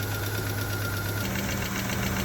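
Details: Subaru Liberty wagon after years sitting on a farm, first start: steady idle with fast, light, even tapping; cause unconfirmed.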